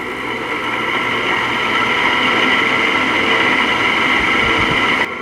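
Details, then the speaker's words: LG 5,000 BTU window air conditioner running: a loud, steady, dry metallic whirring and rasping rides over the fan. The fan motor bearings are dry and stay noisy even after lithium grease was applied to the shaft. "it's still making uh you know a metal unmetal sound uh like a dry Baron noise and it's pretty loud"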